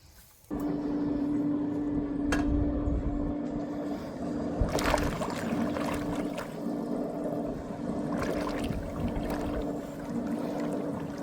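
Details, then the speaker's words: Intex SX3000 sand filter pump after installation: steady hum with churning, bubbling water like a jacuzzi; air bubble trapped in filter housing won't escape near the fitting underneath. "Well, I'm trying to get that air bubble out of here."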